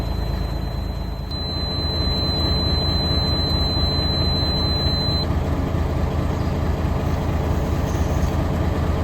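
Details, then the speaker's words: M923A1 5-ton military truck at diesel idle after its air brake low-pressure switches were replaced: a thin buzzer stops after about four seconds as air pressure reaches roughly 70–80 psi, so the alarm cuts out normally. "Awesome. So as you can see, low pressure alarm is off, and it's interesting because 90 psi is with the old pressure switch when it would go off."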